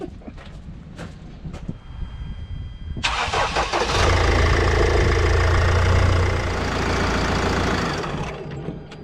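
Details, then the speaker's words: Mercedes Sprinter 2.2 diesel campervan after replacing the leaking fuel overflow leak-off hose, airbox refitted: cranks briefly, catches cleanly, settles into a steady even idle with no misses; normal start, checking for leaks. "I'm going to put the airbox back on, and then I'll fire it up just to check for any leaks."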